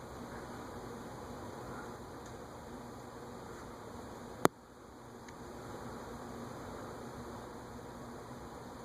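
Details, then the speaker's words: Vintage unmarked top-mount ceiling fan, possibly Aircool-made: quiet, even whir coasting down with no grinding or ticking; long solid spin-down showing healthy bearings. "Nice solid spin down time, indicative of good bearings."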